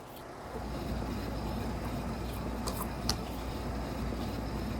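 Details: 2014 Ford F-150 front wheel spun freely by hand, heard through a stethoscope: low steady rumbling growl with gritty hum, from a worn front wheel bearing hub assembly.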